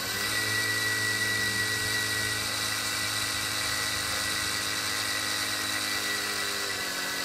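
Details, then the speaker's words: 3HP spindle motor on the bench driving a 2x72 belt sander drive wheel held by a separate support bearing, running at about 6,000 rpm: smooth, steady high-pitched whir with no knocks or wobble, running clean. "a 6,000 rpm now after them"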